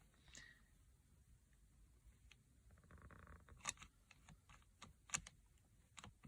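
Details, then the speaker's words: 2010 Hyundai Santa Fe CRDi driver's seat belt buckle: sharp, irregular clicks when fastening, from a faulty microswitch not switching cleanly, causing a constant chime; fixed by opening the buckle and repairing the microswitch. "okay so the seatbelt chime has been going off constantly you use the seatbelt you can actually hear the microswitch inside not flicking properly so buckle fastens"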